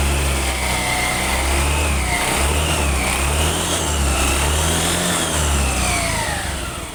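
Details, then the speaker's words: Scooter CVT after replacing destroyed rollers and their broken housing: the engine revs up and down smoothly and the drive whine rises and falls evenly, with no rattle or knock; normal running. "Sekarang sudah halus lagi suaranya."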